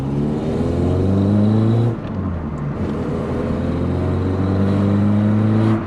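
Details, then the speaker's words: Old VW Polo coupe after engine reassembly, driving under acceleration, recorded through a GoPro: engine note climbs smoothly through the revs, drops cleanly at each gear change, no knock or miss; normal. "it's only an old polar at the end of the day but the sound is just so addictive and the driving feel"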